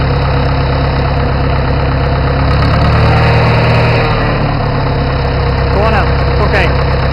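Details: Farmall 450 tractor engine revved: heavy, loud idle with an uneven knock over the low rumble, about three or four a second, with smoke from the exhaust; engine knock, needs a rebuild.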